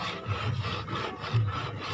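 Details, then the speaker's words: 2012 Toyota Avanza, standard steering wheel without airbag: dry scraping creak in uneven bursts as wheel turns, from the brass horn contact ring between steering wheel and switchgear rubbing, likely dry; fix is lubricating it. "nah ini adalah bunyi dari klakson dari Kuningan yang mengarah ke setir Nah itu dia penghubung antara setir dan switchgear ini untuk klakson kemungkinan kering"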